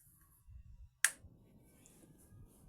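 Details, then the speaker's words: TRX4000 audio power amplifier with channel one disconnected, powered through a series bulb: quiet hum then one sharp click as the output protection relays engage; normal power-up, confirming the short is in channel one. "ahí escuchamos los relés de la salida parante que se están activando allí ya el equipo encendió"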